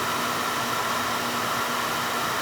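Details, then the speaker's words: Older Beckett oil burner, previously not firing: steady even roar of flame and fan, no pulsing or sputter; running smooth. "yeah definitely running smooth because I can hear it"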